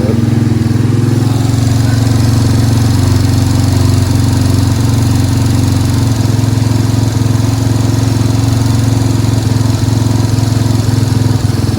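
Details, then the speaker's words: 1987 Yamaha Moto 4 200 ATV, cold, on full choke after carburetor clean and main jet/needle-seat fix: steady single-cylinder drone with slightly uneven beat at idle; owner suspects too lean, air screw at two and a half turns being adjusted. "It's got a good idle and I can drive it around. So, I'm going to end up miss the air screw cuz I'm guessing that's too lean."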